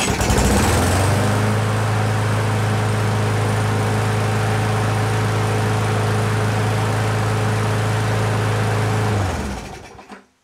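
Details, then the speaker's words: End-of-season used push mower with jerry-rigged brake cable: starts first pull, settles into a steady even drone with no misses or knocks, then shuts down cleanly; healthy running. "Alright, lucky us. It ran first pull, and so that's promising."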